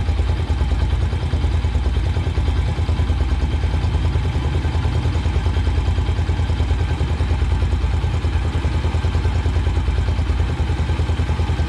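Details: Single-cylinder motorcycle idling during carburetor idle mixture screw adjustment, the screw turned fully in, backed out, then set for maximum rpm: a steady thump of about three beats a second, speed shifting slightly.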